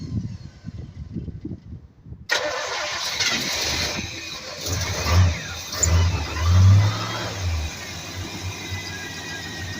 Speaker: I'd say that was successful. Me too. I didn't hear a single knock No, or No. anything from No. this engine.